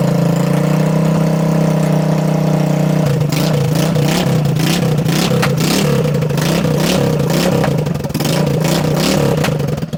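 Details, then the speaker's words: 2021 Kandi go-kart on its stock carburetor, fuel and throttle not yet adjusted, no muffler: small engine idles, then revs rise with sharp irregular popping from the open exhaust, a lean backfire from cold air sucking in; idle needs turning up. "It's gonna be backfiring because there's no muffler on it. It's just cold air sucking into there."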